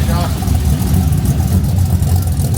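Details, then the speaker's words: 1988 Ford Bronco with an LS V8 swap and true dual stainless exhaust, first fire after a no-start: deep, steady V8 rumble with even pulses, not too loud, good oil pressure, initial lifter clicking gone; normal idle. "oh that sounds good wow not too loud good tone"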